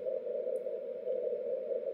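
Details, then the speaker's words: 10 GHz beacon transmitter after key-click fix, received 1 kHz off frequency; steady rough hissy tone around 500 Hz with no clicks on Morse elements; key clicks gone, residual phase noise remains. "what you're hearing is Phase noise you really don't hear a a click at the beginning or end of each uh Morse element anymore"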